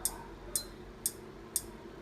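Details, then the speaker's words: Induction cooktop that won't heat, powered on with a pan of water: crisp clicks about twice a second over a faint hum, buzzer only, no error code; large power resistors (820K) on the mainboard are suspected, not confirmed. "中にカチカチと音がしますね鍋を減らすことができますが、加熱することはできません"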